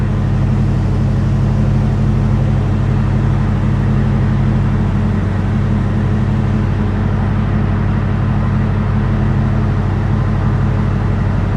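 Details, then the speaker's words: 1969 Dodge Super Bee parked with a slightly raised idle and its R134a AC compressor running smoothly. Steady, even engine hum with no knocks or squeals. The system cools well, is not leaking, and matches last year. "So I mean, really, I'm gonna say this thing is not leaking, and we're just, you know, basically as cold as we were a year ago. So you just give it a little more gas, see what happens with it. But it's cooling off pretty well."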